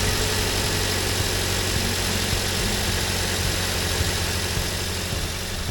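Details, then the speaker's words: 2007 Toyota Yaris, alternator belt that had been squeaking, after re-tensioning the belt by pulling back the alternator: steady, even idle hum with no squeal or chirp; belt drive sounds quiet. "Okay, now I want to test it and see how the belt sounds."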